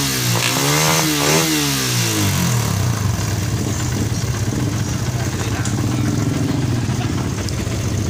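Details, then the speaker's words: Suzuki Satria FU that stumbled and would not rev, with new plug and cleaned carburetor, run on a known-good battery: revs rise and fall cleanly and settle without stumbling; fault traced to the charging system not supplying current. "Dan setelah dikasih aki yang normal, ini motor sudah bisa ngegas."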